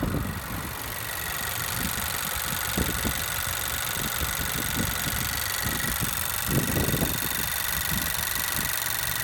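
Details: New 2017 Honda Civic Si engine, under 50 miles: smooth quiet petrol hum staying even as rpm rises, no ticking or knocking; the comparison car is noisy.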